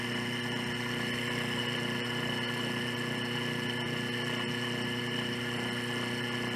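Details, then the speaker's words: Washing machine drive motor removed, belt off, run directly on the bench without load: steady hum with whirring tones and faint rough rumble, bearing noise; fault indicated in the motor bearings, probably louder under load. "Veja que já podemos ouvir barulho de rolamento. Isso aqui está leve, está fora da parte mecânica. Provavelmente o barulho tem de ser mais alto."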